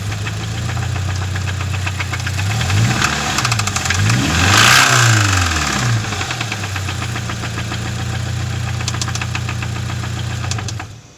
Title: 2013 BRZ Engine Rev Ticking Sounds